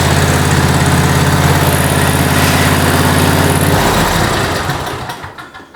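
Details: Toro Time Cutter SS5000 zero-turn mower after a new drive belt and new drive tires, driven backwards and forwards: even, regular small-engine putter at a steady pace, then shut down and coasting to silence; runs and drives normally.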